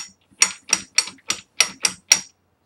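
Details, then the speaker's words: GM NP246 transfer case from a Chevy Tahoe during rebuild: seven sharp metallic knocks, about three a second, as a sprocket near the speed sensor with some play is rocked by hand; the clunk. "this little sprocket thing was it's like probably a speed sensor because the sensor was on there that's got a little bit of play makes a little bit of the sound but you can hear that's my clunk"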